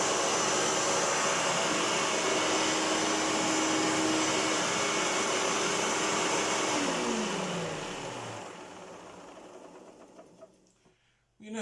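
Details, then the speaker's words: 1996 Hoover Turbopower upright vacuum, possibly little-used, runs at a steady roar with a rough grumble underneath, then winds down after switch-off; motor sounds fine, but there is a distinct bearing rumble on the brush roll. "There is a rumble on the brush roll. You can hear a distinct bearing grumble on the brush roll."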